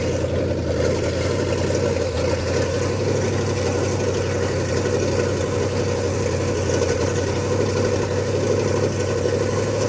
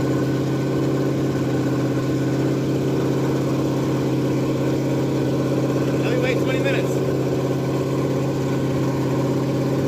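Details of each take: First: Ford F100 with 302 V8 and Comp 268H cam during cam break-in, open headers, fast idle: busy ticking clatter through the exhaust; valve train knock because the valves were adjusted wrong, not a bad lifter as suspected. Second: Ford F100 302 V8 with Comp 268H cam at fast break-in idle through open pipes: steady, even lope, no ticking or knock; normal running, though oil looks slightly milky.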